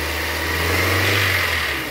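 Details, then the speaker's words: 2001 VW Gol G3 1.0 16V, 176,000 km, after replacing plug wires, cap gasket, rotor and distributor cap for misfiring: engine revs up cleanly and evenly with no stumble or popping; healthy engine revving. "Estamos testando ele Ó 176.000 você agora não é um barulho mais não hein tava engasgando para caramba esse carro aqui ficou 100%."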